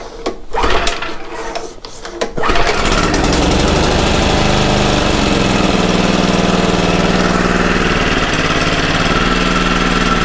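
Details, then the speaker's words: Commercial Toro mower with clutch, under repair for an oil leak, refilled with oil: a few rough pull-start tugs, then it catches and settles into a steady, even fast putter with no misses, idling for inspection. Normal running. "the beginning i think was idle just because i want to look at it real quick to make sure everything is okay"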